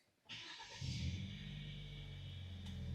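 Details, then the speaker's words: 2016 Hyundai Sonata 2.0L turbo, shaking/misfire complaint after four spark plugs and a coil were replaced; cylinder 4 now fitted with a used spark plug: it starts to a low, even idle. Misfire counts read zero on the scope, though the misfire has been intermittent. "and I don't feel any shaking or misfiring and we can see on our data here they're all zero right now on my scope capture"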